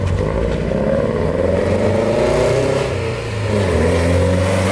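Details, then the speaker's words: Nissan 240SX S13 on its first drive after vacuum leaks were fixed, clutch not releasing fully: engine note breaks up and surges unevenly as throttle is applied and won't take full throttle; rough running under throttle. "and it's definitely not getting like full throttle like when i hit the gas it doesn't want to go"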